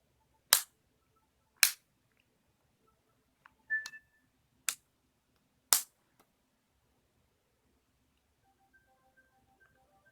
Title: Nintendo 3DS XL: Clicking Noise = Spinning Icon